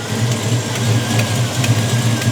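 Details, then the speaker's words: 1967 Ford Mustang V8 at idle just after fresh oil filter: steady low idle with a faint quick light tick on top; owner suspects a valve tap or exhaust leak, unconfirmed; dipstick tube loose, bolt missing. Ticking at idle. "well it sounds like it's got a valve tap or something and the dipstick also is not attached to the engine it just pulled right out"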